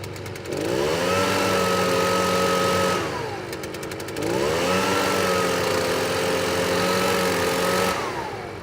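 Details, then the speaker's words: Echo PB-580T backpack blower on 50:1 mix, started after sitting 1 year: revs up, holds a steady high tone, falls back, twice; sounds underpowered, and the owner suspects a slightly dirty air filter. "But the sound it's making to me, I mean, it seems normal to an untrained eye, but to me, I think there's not a lot of power. So I think it's somehow underpowered right now due to the air filter being a little bit dirty."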